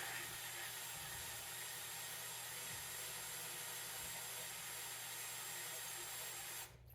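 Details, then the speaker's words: 1969 Ford Mustang engine with intake and oil pan installed, oil pump primed by drill with a gauge attached: steady drill whine under constant load with a low pump hum, then it stops, with pressure building at 40 psi; normal priming. "Oh, I can hear it. Yep, we're coming out the rockers. 50 psi."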